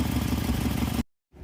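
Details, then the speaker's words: Petrol engine idling with a low, lumpy pulse, no squeal or chirp; the squeak once suspected to be main or rod bearings was just the drive belt, quiet again after belt dressing. Engine has two dead cylinders, the PCM was later found fried. "but the squeak was just the belt. Um, put a little belt dressing aka lube on it. And it's quiet again."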